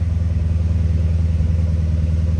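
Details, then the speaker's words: C6 Corvette Grand Sport, newly acquired rebuild project: a deep, even V8 burble at idle with a steady loping pulse and no ticks or knocks. Oil pressure good and high; a normal healthy idle. "Oh, it sounds healthy. Let's go. Dude, she's purring like a kitten, bro."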